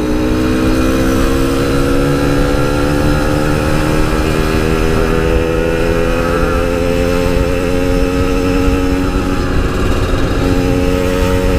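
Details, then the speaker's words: Yamaha RX King two-stroke, riding after fixing high-rpm stutter, recorded through a half-face helmet with wind noise: steady, even howl at high revs, no stutter or cutting out; normal high-rpm running. "guys udah enggak ada brebetnya lagi di atas enggak ada limit-limit lagi semoga eh enggak kambuh-kambuh lagi penyakitnya"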